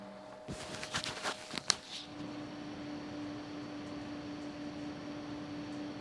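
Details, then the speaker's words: Replacement fans for a Red Bull mini fridge (inside 8038, outside 1238), tested out of the unit: after handling knocks, soft steady hum with faint airy hiss, quiet compared with the noisy original fan. "yeah these are nice and uh quiet"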